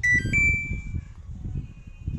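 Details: Samsung top-loader washing machine after replacing an IC on the main PCB to cure IE/OE error: clear chirps at switch-on, low motor rumble, no error tones; board powers up normally.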